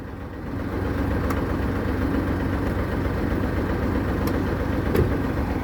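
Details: Japanese-import tractor-unit truck, E13 diesel, ZF semi-auto gearbox, twin exhaust, engine left running: steady, even idle with a low, regular beat and no knocks or misses; healthy engine.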